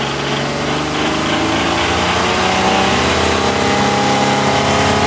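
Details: Isuzu 6VE1 V6 engine, 82,000 mileage: steady idle rising with revs, with a light rhythmic tapping over the running note that follows engine speed; engine knock, cause suspected, not confirmed.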